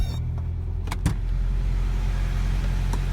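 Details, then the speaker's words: 1987 Toyota 4x4 22RE with an Engnbldr Street RV head (larger valves), first start after reconnecting a hidden unplugged connector: even low idle with typical 22RE valve noise, power windows whirring, no misfire or stumble, no check engine light. "Sounds like a 22RE. Typical valve noise for one of these engines."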